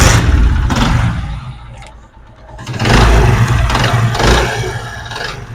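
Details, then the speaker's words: Honda CD 70 motorcycle single-cylinder engine started and revved: rough deep rhythmic thumping rising with throttle, described as very dangerous; full engine teardown found a worn connecting rod as the source. "दोस्तों आप देख सकते हैं आवाज़ जो है इंतहाई खतरनाक है। इस आवाज़ के लिए हमें इसका इंजन पूरा खोलना पड़ेगा"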